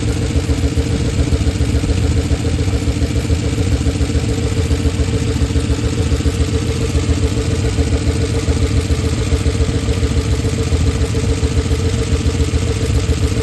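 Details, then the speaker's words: Oldsmobile Super 88 at low idle, warm, after timing adjustments: loud, deep chuffing idle, slightly uneven pulse about 3.5 per second; rough idle, smoother before timing work. Hard to restart warm; exhaust damaged and missing bolts, cause unconfirmed. "I don't really like how it sounds underneath the hood. I've had it sound smoother before I did all this timing stuff, but the exhaust is shot."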